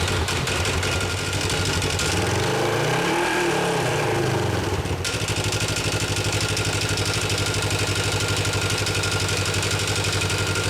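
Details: 2017 Polaris RZR XP 4 1000 rebuilt from the frame up, on a cold morning, just after a new thick Hunterworks belt was fitted and the clutch reassembled: an even idle and smooth blip with no slap or squeal from the belt drive.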